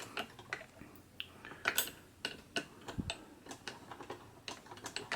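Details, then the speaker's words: 1954 Singer 99K hand-crank sewing machine, unoiled and unserviced as received, with a wire-wrapped fix on the crank's engaging dog (likely failed spring): light, dry clicking at a few per second following the crank, no grinding or binding; runs normally. "Sounds good. I haven't oiled it, haven't done anything to it as yet, so it's basically as I got it."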